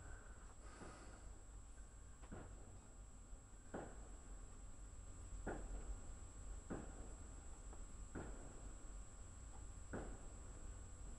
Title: SAT/05/NOV/2016 18:40" LOUD FRIDGE 5 WALL PIPING KNOCKINGS